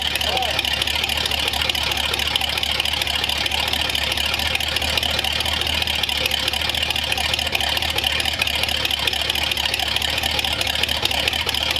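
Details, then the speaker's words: Flathead engine on a newly built run stand, cold day, partly choked with a squirt of fuel, oil and fuel lines hooked up: steady idle under hiss, even with no knocks or misses, sounds like a tractor; runs well, starter may hang up. "I think I have it choked a little bit already, but give it a little squirt. Sounds like a tractor."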